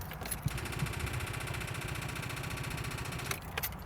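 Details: Manual Volkswagen Jetta (2000 or 2005 stated), sat unused for months, cut out after short drive despite tested good battery: rapid steady chatter about three ticks a second, no cranking; owner suspects starter, alternator or connection.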